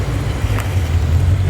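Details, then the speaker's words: Modified 2020 Mustang GT (ported intake, long-tube headers, cold air intake) that bogged at WOT, after installing MMR lockouts: a deep, even V8 rumble under throttle on a test loop, no misses; pulls cleanly. "Chase is gonna do a quick little loop just to double check, make sure it feels fine under throttle, which it should. Ooh, that sounds sick. Damn."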